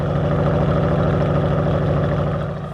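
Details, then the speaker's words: 1978 Oldsmobile Cutlass parts car, 403 V8 now running strong on all eight cylinders, trunk heavily loaded with scrap, before warm-up: deep, even burble with steady firing, no misses or knocks; smooth healthy idle. "it sounds good that kicked down all the way"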